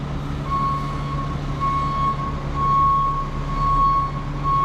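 A steady high-pitched beep, roughly once a second, sounds over a low truck idle: the backup alarm is working normally.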